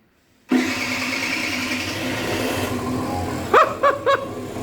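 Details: Aprilia SR50 Factory DiTech two-stroke scooter at 504 km, unused for 15 years, after priming the pump: cold engine catches at once, settles into a steady buzzing idle, then takes several crisp throttle blips cleanly; normal start and running.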